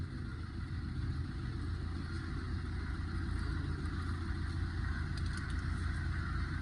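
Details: Fiat Linea after replacing both front top mounts (worn, causing noise when turning steering), both shock absorbers and a worn lower arm: only steady low engine rumble, no clunks or creaks; steering turn noise gone.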